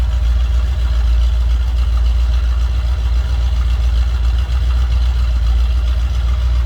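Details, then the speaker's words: 1964 Plymouth Barracuda with a 360 V8, fitted with an aftermarket gauge cluster: fires right up into a deep, even, slightly lumpy idle rumble with no knocks or ticks; healthy. "That fires right up. And again, I did have the stereo working, wipers working. There's a little aftermarket gauge cluster. Little rumble coming out of that 360."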